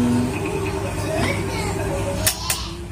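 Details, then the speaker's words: Regency 18-inch wall fan on speeds 1 and 2: steady low electrical hum with no blade whoosh; the motor is stalled because the shaft and bushing are worn, risking a burnt winding. "kalau kecepatan nomor 1, nomor 2 ini nggak mau muter ya, cuma dengung aja ya."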